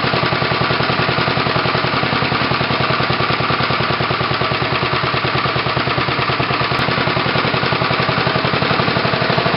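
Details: Tecumseh HH120 small engine fitted with a GM LS2 ignition coil and a modified GM PC2 crankshaft sensor, final test run; fast, crisp, evenly spaced firing pops at steady speed with no misses or stumbles. Normal running.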